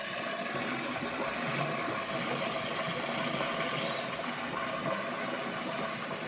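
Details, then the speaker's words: Apartment washer drain after clearing it with a Milwaukee M12 trap snake (a lint blockage was suspected). Hot water rushes down with a steady hiss and gurgle, with no rising pitch or backing up; the drain flows freely. "Sounds good. It's not backing up at all. Normally you can tell because it'll start to, the pitch will change on it."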